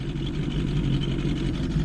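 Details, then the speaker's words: 1977 Johnson 115 outboard after new coils, CDI, performance reed valves, new fuel lines and cleaned carbs, idling in forward gear and coasting without choke: even, low two-stroke burble, steady without surging or dying. Normal idle. "It's idling forwards. It's just coasting a little bit. Hasn't shut off."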